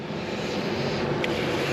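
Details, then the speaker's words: V8 new build idles rough and uneven with cylinder number seven dead, confirmed by the water trick on the headers; audible at idle and under all conditions; coil, plug wire and spark plug to be checked. "did the a water trick on the headers and um it's dead you could hear it in the idle you can hear it in everything"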